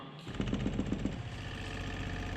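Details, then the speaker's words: Abandoned Jeep with newly rigged fuel system, electric fuel pump switched on: low steady buzz with a few quick pulses, then an even hum; fuel pump running normally, pushing fuel to the carburetor. "okay now we're ready both things are hooked up you can hear the fuel pump"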